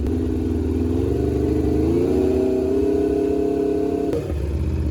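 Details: Rebuilt wrecked 2021 Aprilia RSV4 on its first start after the rebuild: the engine catches and holds a smooth idle, pitch climbs steadily as it revs, then drops back cleanly with no knocks or rattles.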